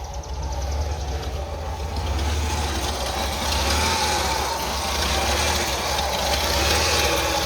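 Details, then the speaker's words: 1989 Ford F-150 300 inline six, 4-speed manual, 4WD, first start after sitting 8–9 years: fires promptly and settles into a steady, even idle with a deep, consistent rumble and no knocks or misses; healthy. "But she's firing up real good. Remember to take it out of gear. And this is working grand."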